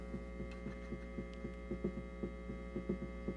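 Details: NDK Automatic Rhythmer (same as Whippany Rhythm Master RM-10) vintage drum machine on the rock rhythm: muffled throbbing pulses about one a second over constant mains hum, from a capacitor no longer screwed to the case for ground.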